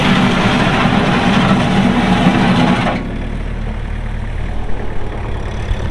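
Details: Kubota M6800 tractor (2004), pre-emissions diesel, 1,181 hours, 4WD with LA1002 loader: steady clatter dropping to a smooth, even idle with low rumble, no misses or knocks; healthy normal running.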